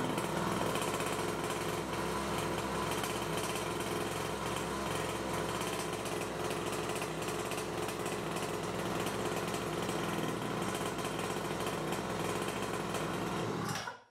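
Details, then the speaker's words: New Nitro Motors Quadro 49cc two-stroke mini quad after its first start, choke off, no throttle: a fast, constant buzzing note well above a lazy idle, as new quads' idle speed is usually too high; to be lowered at the carburetor spring screw. "usually when the quads are new the idle speed of the engine is to high so you need to lower it"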